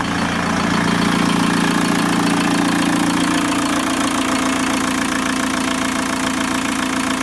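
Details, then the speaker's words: 1987 VW T25 van with TDI engine swap, just refitted with overhauled injectors with larger nozzles, running without its belt fitted: steady, even, quiet diesel tick-over with no knocks or rattles; healthy idle. "Right. That is a seriously sweet running engine."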